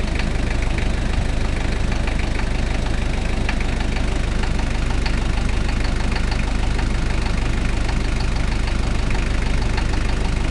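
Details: Toyota 1KZ-T diesel engine at steady idle: regular knock about two per second over a heavy low rumble; engine knocking noise, cause undetermined.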